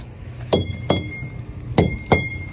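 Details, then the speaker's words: Semi-trailer tire pre-trip check with a tire thumper: four sharp raps, each a firm rebound with slight ring rather than dead thud, meaning the tire is not flat; tires look brand new. "So you want to bang each tire. You hear that noise? That means it's not flat."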